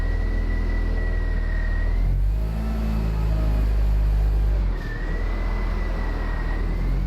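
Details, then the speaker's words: Abandoned, long-stored Land Rover Freelander after first revival: steady low engine rumble with faint even whine, no ticking or tapping; running really well, engine sounds sweet. "I've actually got to say it's running really well now. There's no ticking at all. Engine sounds really, really sweet."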